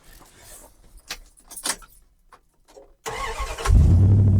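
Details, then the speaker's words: Old Dodge truck, worn-out engine: rattling, short crank, then catches into steady even idle, still sounds good; normal start and idle. "All right, you listen to her. She still sounds good. Even though the engine's worn out, she still sounds really really good."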